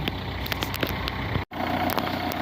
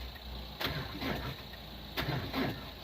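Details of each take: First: 2002 diesel Renault Clio parked about three years, jump-started and running about five minutes: light, irregular clatter over a steady low idle with no standout knocks. Usual diesel clatter, nothing wrong; normal idle. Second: 2002 Renault Clio diesel parked about 3 years: two labored cranking bursts about 1.5 seconds apart, nearly catching but not running; owner suspects weak connection on the positive. Cranking without starting.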